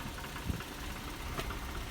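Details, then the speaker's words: 2008 Infiniti G37 with about 120k miles idling low with sharp, irregular metallic taps from under the car. A shop confirmed the owner's suspicion of a bad catalytic converter rattling inside. No dashboard warning light is on. "Virginia's is my suspicions were right and it is the catalytic converter"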